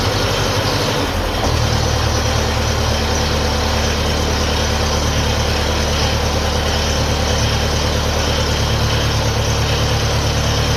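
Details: 1957 Ferguson FE35 TVO tractor, cold start on petrol, fan belt and old water pump fitted to test charging: deep, even thrum at steady low idle, no knocks, misses or rattles; charging light stays on, dynamo or regulator suspected. Normal idle.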